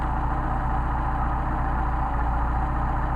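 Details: Mercedes 190SL twin Solex carburettors, rebuilt with new factory gaskets and tested cold and hot: low, even idle at about 600 rpm with carbs synchronised, pulsing about four beats a second with no misses or stumbles. Smooth, healthy slow idle.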